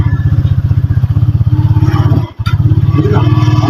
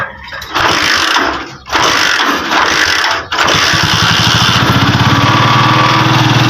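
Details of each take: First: Euro 150 motorcycle with primary-type stator, stator and spark plug already replaced: engine thumps at idle, briefly cuts out and catches, hard starting and stalls when clutch released; weak spark from a burnt ignition lead. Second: Euro 150 motorcycle that ran a short distance then died, after a replaced stator and spark plug; once the ignition is confirmed to produce current, the engine cranks, catches after a couple of tries, and settles into a steady idle.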